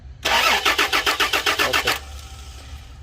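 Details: Toyota Land Cruiser crank no start during fuel pump electrical testing: the starter cranks in a quick even rhythm, about four turns a second, for under two seconds and the engine never catches; cause not confirmed.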